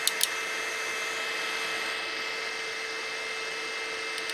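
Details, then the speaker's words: Mahor V4 pellet extruder on Tronxy X5SA CoreXY 3D printer, printing LX175 PLA pellets once reheated: steady even motor whine with light hiss, running normally. "cool yep I've never seen this before a pellet extruder on a core XY machine pretty far out"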